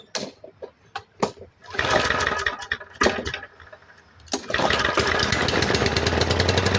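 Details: MTD 139cc OHV lawn mower engine, a trash find that had water in it and was thrown away, started after reassembly: after a couple of pulls it fires and settles into a steady, even buzz with no surging or dying; normal running.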